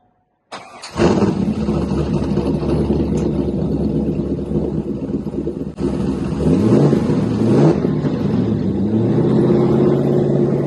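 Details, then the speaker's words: Chevrolet Corvette C5 LS1 V8 after installing a mild aftermarket camshaft, first start: cranks, catches, then lumpy loping uneven idle, runs okay but not smooth; needs tuning. "So, as you can hear, it does run. It's not absolutely perfectly smooth, but it runs okay to say it's got a cam in it. Um, it's quite a mild cam, as I said before, but even so, it does need tuning."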